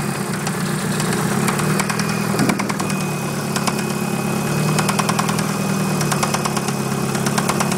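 Steady idle with a sharp, regular tapping knock riding on top, a deep metallic rap typical of a worn rod bearing.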